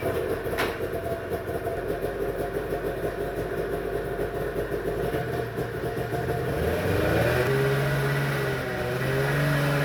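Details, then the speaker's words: 1991 Arctic Cat Prowler 440 two-stroke snowmobile, warmed up after 4 years of storage, fresh fuel and a corroded plug connector jumped: even firing on both cylinders at idle and blips with no miss; runs clean. "so we took her out and ran her got her good and warm and performed flawlessly"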